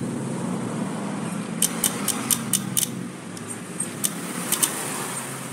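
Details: Carbureted Honda Beat scooter that will not start; battery reads 12 V and is good, starter gear and starter motor good; sharp dry clicks with each starter press but no crank; weak starter relay, fixed by jumpering it.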